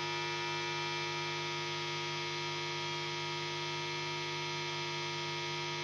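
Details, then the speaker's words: Electric guitar connected to two amplifiers in an ungrounded installation: loud steady low buzzy hum appearing on its own when the guitar is switched on, no playing; ground loop hum. "There's a lot of this noise here. It's already muted a lot. It appears on its own when I turn on the guitar."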